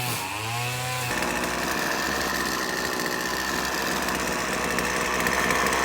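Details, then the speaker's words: McCulloch T55 CLS line trimmer, previously not starting without fuel down the spark plug hole, after tightening loose cylinder head bolts: catches after a brief pull and settles into an even high buzz that picks up cleanly; running healthy. "as you have seen I managed to repair my McCulloch whipper snipper where the problem ended up being that the bolts which secure the heads the engine had come loose over the years"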